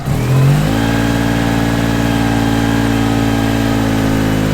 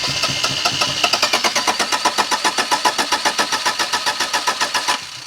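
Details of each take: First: 1987 Daihatsu Charade GTTI 3-cylinder turbo, revived after sitting 10 years: starts cleanly, revs crisply and settles to a smooth even run with no misses or knocks; normal running. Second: 1987 Daihatsu Charade GTTI 3-cylinder turbo, sat 10 years, spark confirmed: starter cranks at an even beat of about four compressions a second for five seconds, never fires; no-start traced to stale fuel.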